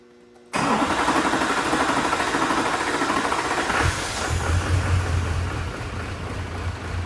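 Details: Duramax LLY diesel truck, after new FICM and swapping in cheap eBay Bosch injectors: starter churns several seconds with uneven chuffing but never catches while fuel is hand-pumped; air in the fuel system prevents starting.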